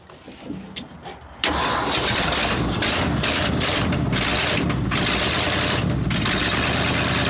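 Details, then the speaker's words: Abandoned 1979 Ford F-350 dually V8, long off the road, cranks briefly then catches and settles into a steady, even idle with no knocks or misses on a trial fix: normal idle. "Dude! It's idling! She's idling, dude! That's amazing. It doesn't sound bad."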